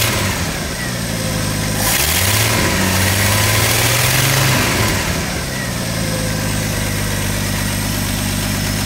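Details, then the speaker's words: 1985 Ford F-150 six-cylinder (300) after cam gear replacement: steady even idle, brief clean rev, smooth idle again; slight exhaust leak noted on the exhaust side; normal idle and rev. "than that sounds like a well broken in 300 to me [Music] very well broken in"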